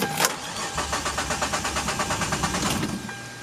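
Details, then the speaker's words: Hyundai Tiburon after a new fuel pump and charcoal canister parts were fitted. The starter churns steadily for about three seconds without the engine catching because the new pump wasn't primed, then it starts. "Oh, I should have primed it first. Yeah, I should have primed it. I'm sorry. There we go."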